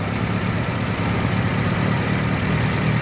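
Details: Engine with worn, loose alloy camshaft bearing cap being shaved to take up play, previously running diesel-like; steady idle with a light, fast valve tappet/rocker arm ticking clatter, no deep knock, loose clearance wanting adjustment and tune-up.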